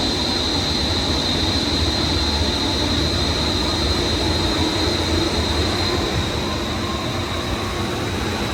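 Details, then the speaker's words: Daikin commercial air handler serving an auditorium, after replacing both blower bearings and blower motor: steady even rushing roar, faint hiss, vibration gone, best it has sounded. Normal blower running. "That's the best it sounded. Back in there. Vibration's gone. This was the culprit."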